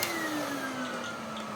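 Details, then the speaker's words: 1991 Siemens Super 914S vacuum: the motor whine sags slowly and never picks up when the hose is blocked. The LEDs don't respond and it doesn't even reach the 1300 setting. The owner hopes the cause is a very full bag and filter, or else the electronics. "I mean, it should at least be on 1300, and if I block it off, not like that, nothing."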